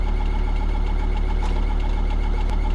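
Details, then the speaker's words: Neglected van project, engine idling with a faint thin whistle from the back; occupants suspect a belt, source unconfirmed. "What's that noise? I don't know, the whistling at the back. Sure. There's some belt or something."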